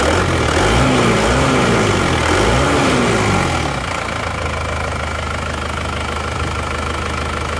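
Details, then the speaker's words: Isuzu Panther Touring diesel rebuilt (cylinder block bored, new liners) after overheating from coolant loss on the toll road, nozzle pressure readjusted from very low; brief rev rise and fall, then even clatter at steady idle, about four beats a second, smooth. "Tapi kami sudah menyesuaikan tekanannya, sebelumnya memang sangat rendah. Oke, sudah berjalan. Suaranya"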